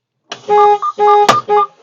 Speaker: you will hear that the horn will sound. This is a warning to let you know that the truck brakes are released and may roll away if you walk away from the truck.